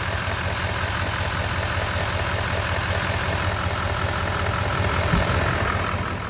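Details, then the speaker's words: 2017–19 L5P Duramax 6.6 diesel after number-four injector pigtail replacement, fuel primed after the lines were disconnected, truck sat two days: even, low idle clatter with no misses or knocks, no fuel leaks. Normal idle. "I mean, it looks it sounds like it's doing pretty good. Let me show y'all the engine. We're not losing any fuel."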